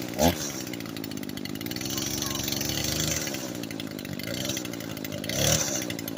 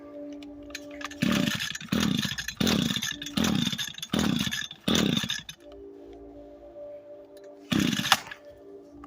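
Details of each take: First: Echo SRM 225 two-stroke string trimmer after repair, previously wouldn't start and bogged out: buzzes at a steady high pitch and holds revs evenly with no stumbling or dying; fixed. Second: Echo SRM 225 trimmer with broken choke, would not start: fires and revs in short bursts but sags back and won't hold speed, bogging down.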